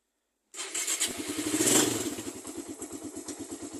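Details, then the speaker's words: Raider carbureted motorcycle, cold morning start with the engine cool to the touch: one crank and it catches at once, then settles into a steady, even single-cylinder idle, a clean one-click cold start; the engine gets hot within seconds. "One click start sa umaga. So kita niyo naman ah nakaandar siya."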